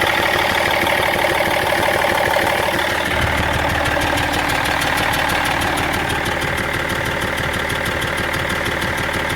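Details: BMW 330d E46 diesel idling steadily: crisp regular tick about three per second over the clatter; abnormal engine noise no mechanic has been able to locate.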